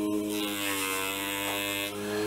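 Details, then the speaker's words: Small 6V DC motor driven by Arduino, connected directly to 5 volts instead of about 4.4 volts through a transistor: steady high electric buzz, even tone, spinning faster; normal motor running. "it's turning faster why is that because a dc motor is turning faster if it has available 5 volts okay the more volts it has available the faster it will turn"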